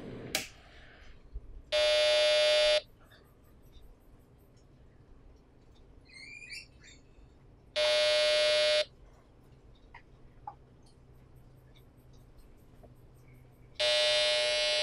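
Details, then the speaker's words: Vintage Gigabyte 486 VLB motherboard that won't boot despite swapped RAM and CPU: PC speaker on AT power supply gives one long buzzy beep about every six seconds; beep codes suggest bad RAM but RAM tested fine, possibly general hardware failure. "So the motherboard is just giving out that error, and look, I've tried researching beep codes and all of that, and most of the places said it was bad RAM"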